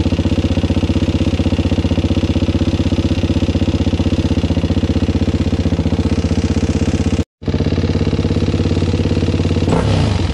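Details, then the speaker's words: Suzuki LTZ400 started cold on choke after a valve clearance adjustment, oil not yet changed: runs fast at about four beats a second with dry clatter on each beat; still noisy, owner suspects it may just need warming up. "it's still sort of noisy that's still rather noisy ain't it i think that's still sort of noisy you guys"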